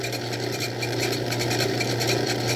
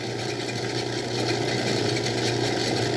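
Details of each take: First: Old Craftsman 109 lathe taking a boring cut: a quick, fairly even rattle of ticks over the motor's steady hum during the cut; operator suspects chatter, cause not confirmed. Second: Old Craftsman 109 lathe drilling: steady even cutting hiss over motor hum, no chatter or wobble; each flute cutting evenly, drill sharp. Normal drilling.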